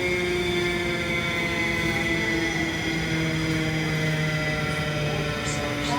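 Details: Continental-Girbau commercial washer spinning down: heavy, thunderous droning rumble with a steady hum, the drum slowing early from excessive resistance and scraping when turned by hand; worn drum bearings.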